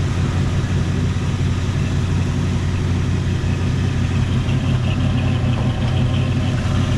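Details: 1977 Jeep Cherokee Chief at about 195 degrees: deep, uneven idle with lumpy, unsteady beat; rough running with suspected spark and fuel issues, cause not confirmed.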